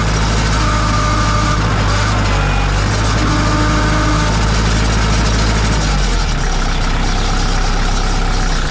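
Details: 2002 Kubota MX5000 DT tractor, all-hydraulic, with front loader: loud steady drone with thin high whine as hydraulic pump starves and builds no pressure; pump first suspected, cause was a clogged hydraulic filter.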